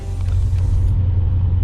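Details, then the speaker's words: Dodge after rear tyre rubbing was fixed by replacing the incorrect 15x10 rims with new wheels and tyres and clearing the inner wheel guards, driving round a roundabout: steady low road rumble from the rear, no scraping or rubbing. No tyre rub. "On the road, nothing. No scraping, nothing. When we cleared the inner wheel guards, we've given those wheels and tyres enough room to move up and down."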